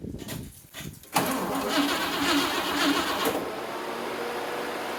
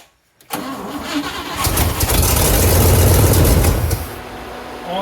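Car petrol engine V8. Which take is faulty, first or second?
first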